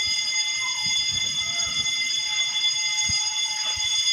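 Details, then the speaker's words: Building fire alarm sounding after power returned from a blackout: continuous shrill electronic tone holding a steady pitch. Owner suspects the panel shows a battery fault and the problem is in the wiring; cause not confirmed. "Nag-burn out na, hindi, nag-blackout doon kanina. Tapos pagbalik yun, nag-fire alarm."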